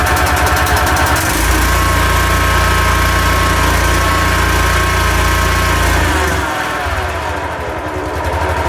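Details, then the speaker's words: Used road saw, choke on, engine catches and settles into rough idle with thin whine riding over it; owner suspects bearing gone, going or wanting grease. "That does sound a bit whiny like this bearing gone or going or wants greasing."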